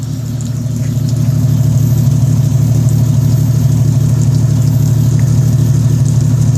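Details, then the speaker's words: 1998 Jeep Cherokee XJ 4.0 with ported 7120 cylinder head, ported and polished intake and Banks header: loud, steady low idle with a firm even pulse, running smoothly; the idle sounds different after the head work. "I love the way it runs. I love the way it changed the idle. This thing's got a different idle now."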